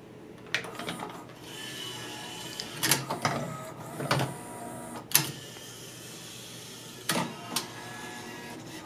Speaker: [this time you can hear it knocking against its end] It's literally hitting the end-stop on its travel like banging its head against the wall.